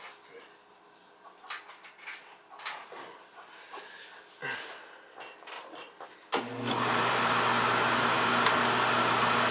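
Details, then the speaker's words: Older Beckett oil burner that was tripping safety and not firing, restarted after clearing a blockage in the oil tank and purging air, with FF jumped to prevent safety trip: lights into steady even roar and hum, firing cleanly. "let me start this up I'm going to jump the FF out so the thing don't trip out on safety you get a good flow"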